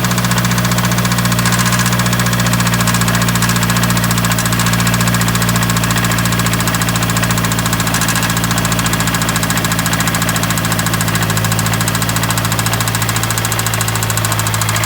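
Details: Mazdaspeed 3 with resonator and second-cat delete, after it ran out of oil: loud free-flowing idle with a fairly regular deep knock about three to four a second, suspected spun rod bearing.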